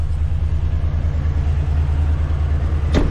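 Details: Truck V8 at idle after adding Mechanic in a Can: low rumble with uneven, lumpy pulse; stability-track warning showing; fuel pump tested fine, mechanic says sound from left side and diagnosed stuck valve.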